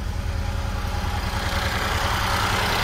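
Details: 2012 Mini Cooper with crank-no-start complaint, after jumper removed and power restored to starter circuit (terminal 50 fault): low, steady pulsing idle with no misses or clatter; engine running normally.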